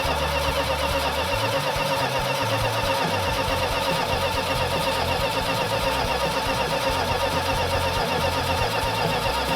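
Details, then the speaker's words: Freshly rebuilt 340 V8, after low compression was fixed: fast idle, won't idle under 2,000 rpm from an intake vacuum leak, with busy metallic tappet-like clatter; rockers and pushrods removed; sand later found dumped in engine. "So that was one problem down, but now we've got an intake leak, vacuum leak, so it didn't want to idle under 2,000 RPM, and we've got a tappet that's making noise, or some kind of metallic noise that sounds like a tappet."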